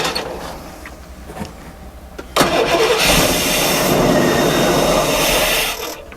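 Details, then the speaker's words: 1990 Fleetwood Bounder motor home with a 454 engine, cranked slowly with a squirt of gas in it; it catches briefly and fades out with no fuel delivery. Fuel pump suspected, though the motor itself sounds good. "might need to check the uh fuel pump and see but at least you know it runs no that motor sounds good"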